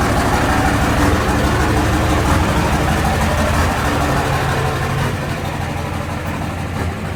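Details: 2004 Dodge Ram 5.9 Cummins diesel, just started, not warmed up: cold idle with a hard, fairly regular clatter about three times a second. Owner suspects bad injectors; diesel knock.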